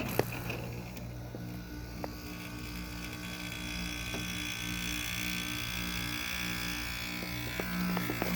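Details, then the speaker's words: Precision window air conditioner made in Taiwan at startup, seemingly low on charge: steady low, wretchy buzz with a hum under it and a few clicks as the compressor starts; buzzing compressor, cause unclear. "hear that nice wretchy Precision compressor made in Taiwan quality stuff right there"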